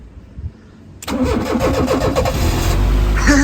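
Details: 1995 Fiat Tipo 1.6 SX, non-runner with aftermarket Gemini alarm/immobiliser, after fitting a new crank sensor, in neutral: short starter whirr, catches within a second and settles into steady even idle; starts cleanly.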